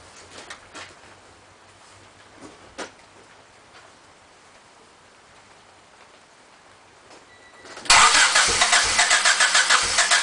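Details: Honda Civic EX coupe that would not stay running: near silence, then the starter cranks with a quick even chug about four beats a second but never catches; cranks, won't start.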